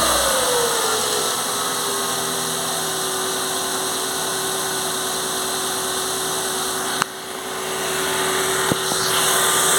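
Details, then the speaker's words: Ford Fiesta petrol engine idling after water pump (and belt) replaced: steady low hum and hiss, earlier squeal/whine from the failed water pump gone. "galera vocês podem ver que sumiu barulho ó lembro que tava bem nessa parte aqui ó essa parte que ele tava é ringindo né no vídeo anterior que eu mostrei aí certo agora não tá mais"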